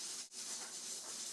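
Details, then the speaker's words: Stovetop pressure cooker cooking pinto beans, started on medium-high heat: loud, steady steam hiss as the regulator chatters, signalling time to turn the heat down. Pressure regulator chattering from excess heat. "and as soon as you hear the chatter then you'll know it's time to turn the heat"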